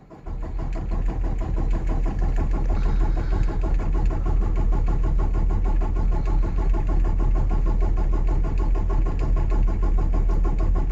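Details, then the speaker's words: 2018 Peterbilt 579 diesel with chronic hard starting, the day after the dealer replaced the priming pump assembly, sat under 24 hours: steady cranking at about three pulses a second for over ten seconds before it finally starts. "does not seem normal to me for it to be cranking this long okay there it finally started but that is not even 24 hours so that is a problem"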